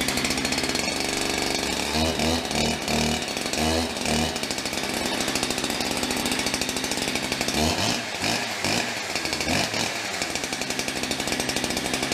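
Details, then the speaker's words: Holzfforma 372XP Chinese chainsaw, new, 28-inch bar, first run cutting: revs and bogs in the cut, buzz flattening instead of screaming to full speed; won't reach high rpm, owner thinks carburetor needs tuning. "uh sounds like it needs some carburetor tuning i'm sure you could hear it there it just doesn't want to seem like it wants to get into that high rpm"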